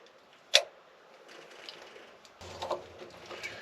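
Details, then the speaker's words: Ford F100 with Crown Vic engine and harness swap, first start attempt: two sharp single clicks a few seconds apart, no cranking, no fuel pump hum; relay or solenoid clicking while engine stays dead, cause unknown. "nothing absolutely nothing I hear something though when I turn that off something"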